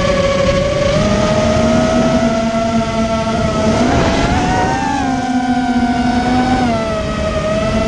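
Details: Immersion Vortex 250 Pro motor test run after trying to fix bad bearing sounds: a clean, steady whine rises and settles smoothly with throttle, with no gritty rasp or rattle, so the bearings sound healthy. One motor feels barely warm and the others feel fine.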